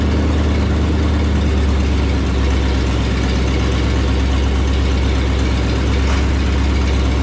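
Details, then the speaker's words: 1978 Ford F250 not started for 5–6 months, after brake work: low, steady idle holding an even beat with no misses, knocks or squeals; owner pleased how well it started; normal idle. "It hadn't started this thing in 5-6 months, and I was really kind of happy how well it started."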